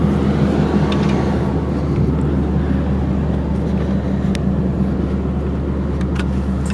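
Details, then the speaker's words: 1995 Lincoln Town Car V8, dual exhaust with cats on the header, other cats hollowed out, Flowmasters and 2.5-inch tail pipes: deep, steady even burble with no rasp, tick or leak hiss; normal exhaust note. "And so that combination of the cats on the header and then the Flowmasters gives you uh well, this sound."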